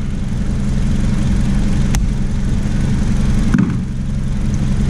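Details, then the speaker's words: 2007 Toyota Camry idling smooth and steady with a battery terminal disconnected during a battery swap. The engine keeps running on the alternator alone, a sign of a good alternator. "notice it's disconnected your car did not shut off that's a sign you have a good alternator right now the car is running off the alternator"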